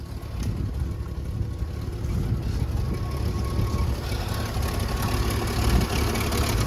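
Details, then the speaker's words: 1986 Ford F150 old farm truck, first run after sitting, carburetor being primed and fuel pump replaced: low steady rumble holding an even idle for several seconds with no stumbling or dying; normal smooth idle. "I've never seen her run this long idle smooth"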